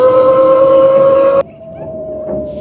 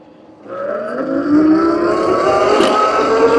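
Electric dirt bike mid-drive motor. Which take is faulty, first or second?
first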